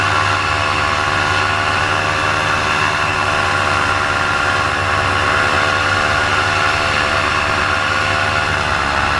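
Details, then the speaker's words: Paramotor two-stroke in flight at high revs: loud steady drone whose pitch eases down as the RPM drops and the engine bogs, losing power. The pilot decides to land and check it; the cause is unknown. "And then coming up here shortly, you're going to hear the RPMs just start to drop down and start to bog, and that's when I realize, hey, something's up."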